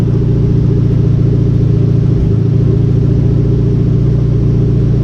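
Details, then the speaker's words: Conquest turbo G54B four idling with the newly working cooling fans on, temperature dropping from 210 to about 190°F: a steady low idle with an even rush of fan air and no knocks or misses; a normal idle with fans running. "It's bringing it down to about 190 so far. Heck yeah. Man, those fans moved some air."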